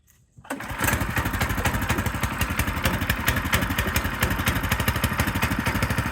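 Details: Frontier OS18 sawmill's small single-cylinder engine, started cold on choke after a blade change: it fires quickly and runs with a slightly uneven, loping beat. This is normal cold running on choke.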